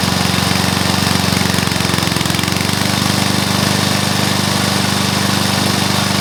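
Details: Briggs & Stratton mower engine (believed early 1984), first start after rebuild with new piston, rings and valves for oil consumption (loose rings, worn valves); single cylinder running at steady even beat, no knocks or misfires; normal running.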